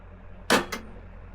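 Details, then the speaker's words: One crisp click then two lighter ticks over a quiet hum as a 5 hp deep-well pump's contactor pulls in, Solis S6 11.4 kW hybrid inverter in bypass mode with LG RESU batteries; clicks properly, normal start. "Clicks properly."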